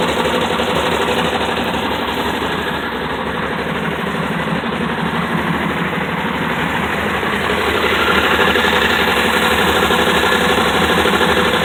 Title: dart knocking sound